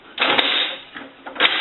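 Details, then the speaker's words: Bell rotary payphone, reassembled after repair and conversion, T key turned a quarter turn: two quick metallic clattering sweeps about a second apart as the internal linkage swings before locking; normal linkage operation. "When using the T key, what happens is there's linkage inside that swings up and down before you can come over to the lock and lock everything up. So you want to make sure that you hear the linkage sweep."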